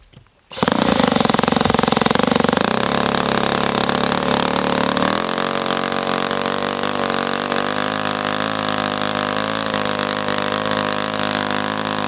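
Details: O.S. FS-120S-SP four-stroke model engine with pump and supercharger, first run, throttle stop 1 mm, high-speed needle restarted at 2.5 turns open: catches after a moment, settles into a rough, blubbery roar easing slightly mid-run; sounds overly rich, cause unclear.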